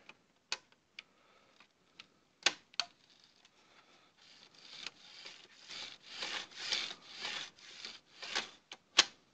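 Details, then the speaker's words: Xbox 360 DVD drive with sticky tray, reassembled after opening: scattered sharp clicks then a rough rasping run with snaps as the tray mechanism bar fails to reset fully when moving slowly. "I was not resetting all the way ooh nice this little bar is supposed to come all the way over as you can see if i push really fast it'll work but I just really go slow it doesn't push all the way back over"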